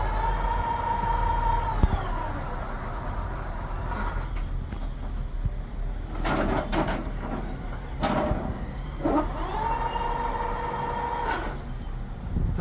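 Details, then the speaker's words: Electric bicycle after repair, battery reconnected and throttle applied: clean electric whine climbing and falling with throttle, no grinding or clicking; hub motor spins freely, controller working, normal running. "that controller is working and can now continue the installation."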